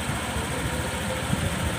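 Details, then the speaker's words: Honda PCX150 scooter after top-end rebuild for hard starting and stalling at idle, valves set 0.10 intake and 0.18 exhaust: idling low and even with a soft steady putter, no misses or hunting; settled, healthy idle. "เดี๋ยวรอสตาร์ทแล้วปล่อยเลยปล่อยเบรกเลยครับเสียงเงียบๆนะครับเงียบๆเลยไม่ต้องเร่งด้วยนะครับนิ่มๆเลยนะนิ่มๆเลย"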